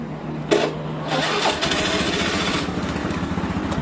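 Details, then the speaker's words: Honda Beat FI scooter after jumping the starter: short starter whirr, engine catches and settles into a quick even putter; starter motor (dinamo) confirmed fine, earlier no-crank clicking not from the starter. "Tidak ada kendala di bagian dinamo starter. Bagus"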